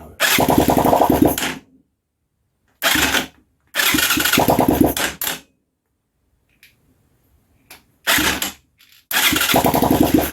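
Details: Huaniao HN125 Chinese motorcycle: engine catches in short ragged bursts of uneven firing, then dies each time; runs only while easy-start fluid is squirted into carb and barrel.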